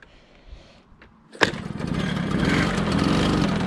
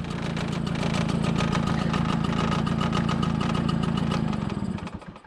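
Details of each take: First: 1987 MBK 51 Magnum two-stroke moped, as bought before renovation with clutch shoes suspected worn: restarts possibly needing choke, after clatter settles into a loud rattly buzz at idle; noisier than it should be, cause unknown. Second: 1987 MBK 51 Magnum two-stroke moped, before renovation: quick, even two-stroke popping at steady idle, about four beats a second, no rattles, until switched off; healthy.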